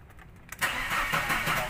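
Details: Mercedes-Benz Elegance that won't start: short burst of steady starter cranking with a rhythmic churn and no catch; engine turns over but doesn't fire. Cause not confirmed.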